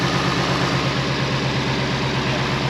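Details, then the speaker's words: 2020 Mustang GT V8 after ported intake manifold install, idling with two spark plugs left unconnected; lumpy, uneven stumbling pulse, two dead cylinders; misfire, sounded right once reconnected. "So, James here and I, we didn't connect two of the spark plugs. So, that's why it didn't sound all the way that it should have."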